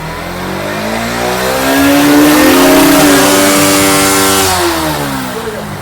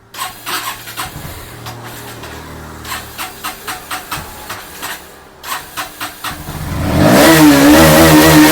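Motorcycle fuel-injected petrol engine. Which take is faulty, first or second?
second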